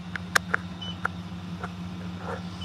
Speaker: The beeping's come back on because the wind's dropped below 9. And then when it drops below 9 and then goes above again, the beeping comes back on.